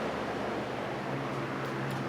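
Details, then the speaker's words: 1989 Lasko Galaxy box fan, model 3723, with plastic motor housing, running on low after its dry, stiff bearings were oiled: a steady, even airy whoosh with a low motor hum and no ticking or scraping, so it runs smoothly. "But as you can hear, It's nice and quiet. It runs real smooth now that it was oiled."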